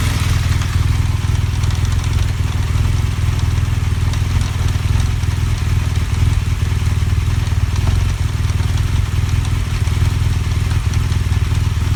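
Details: BMW GS Adventure motorcycle: steady loud low engine note with an uneven clatter about four times a second riding on top; strange noise, cause undetermined.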